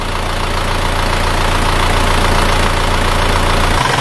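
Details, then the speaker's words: Isuzu Panther diesel from 2000 or earlier, old engine, idling: steady even soft low rumble, no knocks or misses; sounds healthy. Normal idle. "hidupnya juga sama rata idenya stasioner sama stasiunnya suaranya seperti ini"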